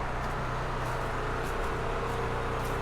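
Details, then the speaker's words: Firman generator running on propane from a 75% full tank, test before an ice storm: even, steady engine drone, low unchanging beat, no misses or surges; normal running. "So, now that's up and running. I'm happy."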